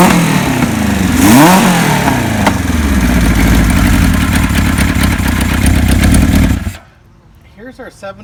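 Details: 1976 Kawasaki KZ900 four-cylinder engine after a new cam chain (the old one was loose and noisy) and new gaskets, oil tight, smoking slightly: it blips and settles into an even run with no chain rattle before cutting off, so it runs normally.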